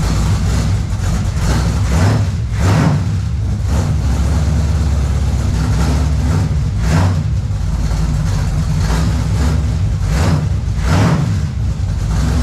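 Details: Car with new headers and new exhaust: deep, steady exhaust rumble with a few throttle swells and no rasp or drone; replacement mufflers sound quiet, normal running.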